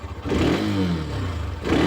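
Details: Hero Xtreme 125R 125cc in neutral, throttle blipped: smooth rises and falls, even exhaust note without knocks or rattles; healthy engine, owner warns not to rev past 8 (thousand rpm) to avoid later engine noise.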